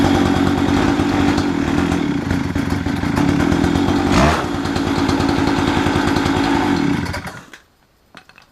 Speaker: The throttle works and the clutch works, so it seems to run pretty good.